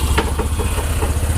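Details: After repair, a Bajaj Discover 125/135 engine idles with an even, steady single-cylinder thump about five beats a second and no knocking or rattle. It had been rebored with a 50-size piston, with head guides and valve seats cut and worn clutch plates and pressure plates fixed; it was previously burning oil and knocking with the clutch held while slowing.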